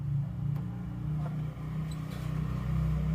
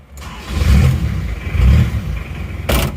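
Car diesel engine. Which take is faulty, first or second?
first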